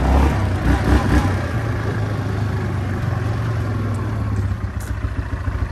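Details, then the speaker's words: 2003 Yamaha Kodiak 400 4x4 ATV, 20 years old, revived with new carburetor and parts after the seized engine was freed: low, even engine drone with steady beat, no knocking, ticking or misfire, no smoke; runs great. "But it runs great. This thing's freaking... I can't believe it doesn't smoke after having to free up the engine."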